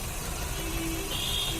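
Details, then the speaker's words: Maruti Suzuki Swift petrol/CNG running on petrol with a rough, vibrating idle: a lumpy misfire with RPM hunting and a pickup problem. The ignition coil and plugs were checked cylinder by cylinder, and the fix was ignition coil replacement. "गाड़ी engine start है पेट्रोल पे और आइडलिंग एकदम वाइब्रेशन कर रहा है।"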